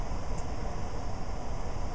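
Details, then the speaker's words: Variable-speed blower motor tested with VZ-7 on a Trane circuit board, cooling 1 half speed at about 400 rpm and 900 CFM; smooth, even low rush of air, no ticking, rubbing or hum swings. Normal blower operation. "to cooling the Big C 1 which is half speed again which should be the same numbers 500 rpm and nine hundred CFM"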